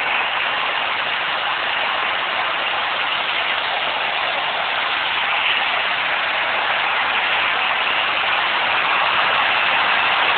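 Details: Nissan RB20DET idling with a steady rough, hissing grind and no clear rhythm. The owner suspects it comes from a rotating accessory outside the engine block rather than the block itself. It disappeared two hours later. Grinding noise at idle, cause unconfirmed.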